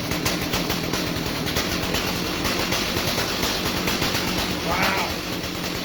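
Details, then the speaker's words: 2003 Stihl MS 290 Farm Boss 56.5cc chainsaw, rebuilt from parts after cleaning the clutch and air housing, first start from the start position: steady, quick two-stroke patter at raised idle without stalling or surging. "Hopefully it sputters. Sounds good to me."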